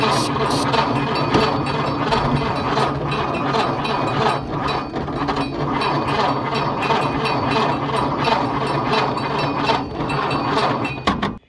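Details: Ford Model A off the road 65 years, 6-volt positive-ground system with fresh gas: fast, even starter clatter for ten seconds, never fires; wiring and dead coil suspected.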